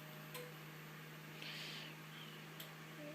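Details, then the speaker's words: Seagate hard drive in an iMac: steady low hum with sharp isolated ticks every couple of seconds, the classic click of death from mechanical failure; the drive is completely dead and needs specialist recovery. "so this drive is dead flat out dead yeah that uh that sea gate drives you into classic skeet skeet skeet skeet ski click of death you know that sound"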